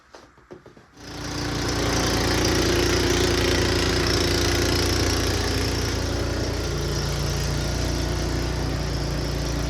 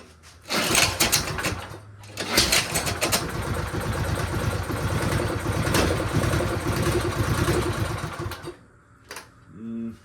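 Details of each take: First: I think we're good to go it seems to run just fine Second: Snow blower returned by a buyer for barely running. With old fuel drained and fresh gas added, the small engine catches, then runs rough and uneven with a wavering beat and fades. No difference yet; cause not found.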